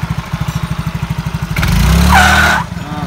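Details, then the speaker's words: Yamaha Mio J/Exride/Soul GT 115cc with weak pull-away and poor climbing: lumpy idle, then a thin, high mouse-like squeal rising with throttle and fading as revs drop. Rollers stick in holes worn in the variator. "jadi kalau enggak awal dia di kejut dia akan bunyi akan ada nyangkutnya pelor nya itu nyangkut di sini ya"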